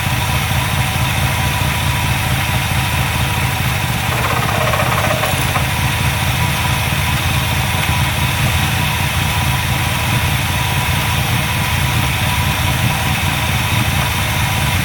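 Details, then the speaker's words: Carbureted V8 with Edelbrock carb, primaries cleaned of ethanol-fuel clogging, vacuum gauge on manifold vacuum: holds a fairly steady loping idle with deep even burble, no stalling; low on gas but improving, previously wouldn't idle. "there you go getting better that's no gas in there but it's getting better before i didn't even want to run an idle"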